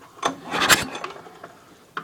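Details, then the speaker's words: Craftsman snowblower with 8.5 hp Briggs & Stratton engine, shroud off, pulled over slowly: each stroke gives a sharp hissing puff instead of firm compression, air pushing out between head and block; first suspected bent intake valve. Blown head gasket. "Well, to me it sounds like both the valves are moving, but something's obviously leaking past. I don't know if it's leaking past the valves or the head, but"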